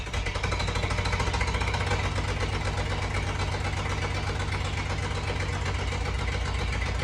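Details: 1988 Jeep Comanche that sat for years, first start after a tank cleaning, new fuel pump and fuel lines, helped by starting fluid: uneven, lumpy idle stumbling about twice a second. It sounds like it's down a cylinder; cause unconfirmed.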